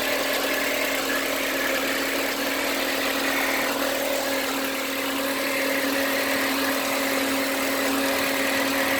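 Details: Unexplained noise from a VW Passat B5 1.8 engine at steady idle: a constant mid-pitched drone with a faint irregular ticking over it; the source is unidentified.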